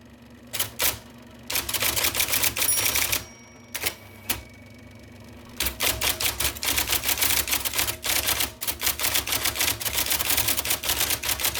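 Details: 1979 IBM Selectric II (non-correcting), revived after fixing a miswired plug, then cleaning, flushing and lubricating parts: crisp, quick clatter about three to four strokes a second with a short pause; normal typing.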